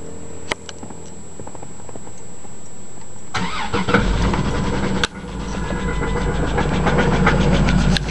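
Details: Cold morning start of a Chrysler 300M V6: cranks, then idles with a light, quick tick. The tick isn't always present, gets louder with acceleration and fades after a few miles. The car also overheats and empties the radiator. Oil level normal, no radiator bubbles, no exhaust smoke. Owner suspects lifter tick or spun bearing.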